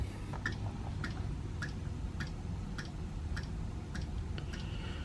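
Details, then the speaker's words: Eberspacher D4 Airtronic M diesel heater on an Easystart Select controller, first start with the thermostat set to 22°C from 16°C: crisp, evenly spaced dosing-pump ticks about every 0.6 seconds over a quiet hum. The fuel pump is ticking normally. "Okay, so the fuel pump's running."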